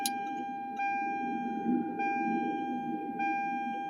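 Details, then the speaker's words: 1996 Lexus SC300 with factory ECU, ignition on, not cranking: steady thin electric fuel pump hum at constant pitch keeps running and never stops after priming; same continuous pump run occurs on the Supra with its AEM ECU. Cause not confirmed. "because on the supra um the aem the supers fuel pump's just going it's not stopping"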